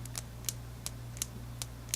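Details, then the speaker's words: Rebel Time Aviator Chronograph watch, leather strap squeezed lightly by hand: sharp popping clicks about three per second, suspected to be the spring bars interacting with the leather and lugs; also happens during wear as the band twists. "what happens as you wear this band through the day you know it twists and jiggles and you get this popping sound you hear it it's annoying"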